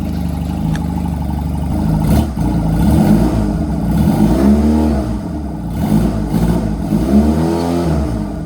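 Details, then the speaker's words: Honda Rebel 250 on its first start after sitting about 27 years, choke fully down; idles steadily, then revs in smooth blips and drops back cleanly with no knocks or misses. Needle adjusted; fuel tank off; battery voltage weak. "I'm just hype. It's running. See if we can get a rev out of it."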